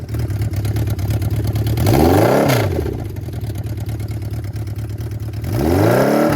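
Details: 1979 Yamaha XS1100 bobber four-cylinder with shorty exhaust (two headers into one outlet per side, titanium-wrapped), on first start after a year-long build: steady lumpy idle with two clean throttle blips rising and falling smoothly; runs evenly, healthy.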